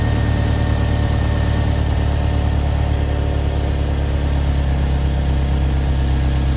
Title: Chevy Equinox Notorious Exhaust Leak #automobile